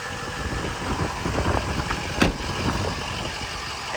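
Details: Bulletproofed, head-studded 6.0 diesel truck with new engine and transmission: catches and settles into an even idle clatter with a steady beat, no misses or knocks; healthy.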